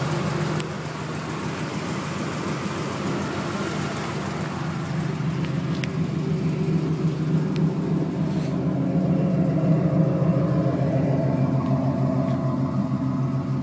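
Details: '96 Camaro Z28 LT1 V8 at idle: steady low rumble with light quick even tick on top, in the valve train; owner wonders if valve adjustment is needed.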